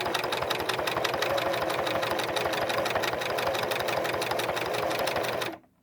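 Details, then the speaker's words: Singer Merritt 4525 sewing machine, dry after long storage, after oiling and a tension reset: a fast, uneven, rattly clatter of about four stitches a second until it stops. It is still running rough. "So what happens is then it makes the machine run rough, and it's still kind of running rough, and I'll let you hear it here in a minute."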